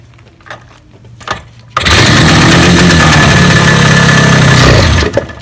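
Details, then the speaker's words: Yamaha RD350 two-stroke motorcycle after months or years of non-use, starting spray in both carburetors: it catches at once and runs a steady, crackly idle for three seconds before cutting out, a normal start. "there you go the bike basically starts so that's good news"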